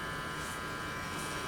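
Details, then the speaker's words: Philco 53-702 tube radio after replacing last two capacitors (including Y2 safety cap), on Variac through dim bulb at about 100 V, full speaker volume: constant loud steady buzzing hum; hum still excessive. "I was hoping that hum is a little bit less, but it's not where I want it to be. That's full speaker volume."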